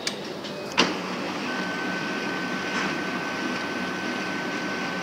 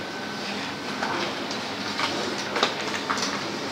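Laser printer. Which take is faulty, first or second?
first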